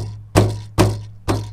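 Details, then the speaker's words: Mercedes-Benz rear deck over a bump: sharp hollow knocks over bass hum from the metal ball rattling inside the center seat belt retractor, belt still works; fix by wrapping the outside of the unit with sound deadening. "you hit a bump and you hear this that noise that rattle hand noise is happening from the center seat belt belt bearing right here"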